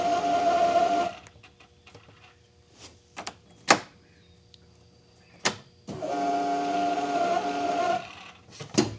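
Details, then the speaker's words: Arctic Cat Prowler UTV electric fuel pump; two bursts of raspy buzzing whine with unsteady pitch, separated by clicks and quiet; failing fuel pump, replaced along with the regulator. "check this out. Does your fuel pump sound like this?"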